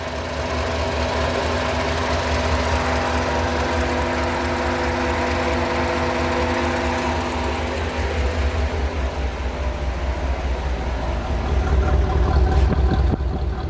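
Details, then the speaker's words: 1985 Chevrolet Corvette C4, after fixing a no-start with no fuel pressure (no power to fuel pump): steady, even, smooth idle with no misses or knocks. "I hope you can hear the engine good here. Idling very nice."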